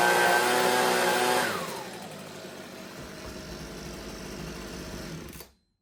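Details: Husqvarna 125B two-stroke leaf blower, sat for years with fuel, purge bulb blown, first restart after repair on fresh fuel, choke on, primed, no air filter. Screams briefly, then drops to a ragged idle that hunts and dies; carburettor needs tweaking.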